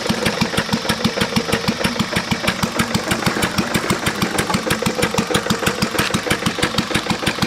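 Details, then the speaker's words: Lister throttle-fed stationary engine, thought to date from about 1920 to 1930, with its rod bearing ruined by water in the oil from a cracked block: slow idle with a sharp, regular knock about three per second. "that was our liser I mean besides the rod knock and in need a paint it actually is a good running motor"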